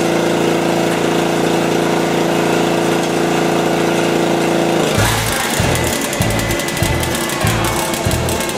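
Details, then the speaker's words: John Deere RX75 riding mower after deck and drive belt replacement: steady engine drone, then blades engage with chopping, pulsing roar near two a second; new belt and deck running normally. "yeah this Baby's a caned crushing chopping machine there's your dinner"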